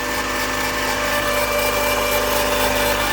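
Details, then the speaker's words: 1999 Mazda Miata, 190k miles, cold start after nights in the low 20s °F: a constant high whirring whine at steady pitch over the engine; it goes away once warm, source unknown. "and it goes away once it's warmed up I don't know what it is and I don't care"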